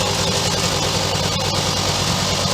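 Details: 1965 Suzuki K11 two-stroke with a newly fitted cheap Chinese carb made for a Honda 90: steady, even idle with a crisp buzzy crackle, no hunting or misfires; carburetion sounds right, normal idle.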